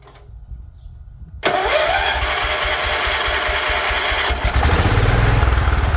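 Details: 36-year-old Toro Wheel Horse 416-8 garden tractor after fixing a leaking fuel line: quiet, then the engine catches and settles into a steady, even throb without stumbling; sounds pretty good, running and working.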